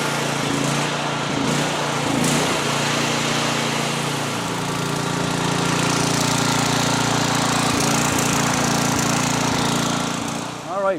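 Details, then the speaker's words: Generator after replacing the carburetor fuel solenoid and cleaning the dirty carburetor, started on choke: steady, even engine drone with no surging, misses or knocks, running smoothly with no leaks. "right, fantastic. It's running like a champ, no problems. It's doing what it's supposed to be doing, no leaks."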